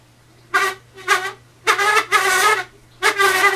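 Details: Old Lasko box fan nearly seized, stopping immediately at turnoff: low motor hum under five loud, squeaky creaks irregularly about every three-quarters second; bad creaking before fix, cause suspected, not confirmed.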